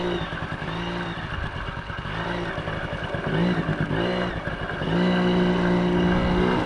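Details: 1980 Yamaha QT50 two-stroke moped on its test run after its first start in eight years and many new parts: even buzzing that picks up smoothly on each throttle blip, no misses or rattles. Runs good, nice and quiet, no issues.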